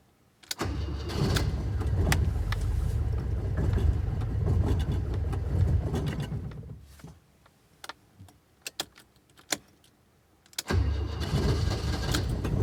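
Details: Alfa Romeo cold start on a cold day: a long run of steady cranking with pedal pumping before it catches briefly and dies; hard starting, possibly flooded.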